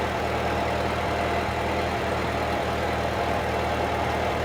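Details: 1946 Ford 2N tractor under restoration, idling after a battery fault was found as the cause of earlier trouble and charging confirmed on the gauge: steady, even low rumble at idle with no knocks, misses or surging; healthy.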